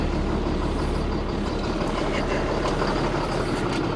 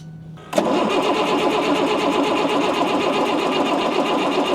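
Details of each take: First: Ford F650 service truck with Caterpillar C7 diesel, first start after being sold as inoperable, needed starting spray; grid heater bad, air compressor line leaking; steady even diesel clatter with no knocks or misses, engine sounds great; normal running. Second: Ford F650 service truck diesel being revived after being sold as inoperable: the starter cranks with a steady rapid chug, about four beats a second, and it comes close but never catches; suspected fuel and primer trouble, and a thin jumper cable.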